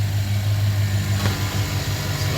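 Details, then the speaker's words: 2009 GMC Sierra 5.3 V8 after replacing all 16 lifters with AFM replacement lifters because of a collapsed lifter, run warm with oil circulated. Smooth, steady V8 idle with the tick gone: normal idle. "but the tick is gone she is running like a champ"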